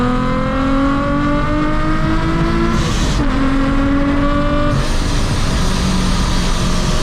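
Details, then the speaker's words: Nissan 370Z with a newly installed Soho supercharger kit: strong pull with supercharger whine rising with revs, steady, no belt squeal; normal boost under acceleration. "gave me gooseball I haven't heard that in two years"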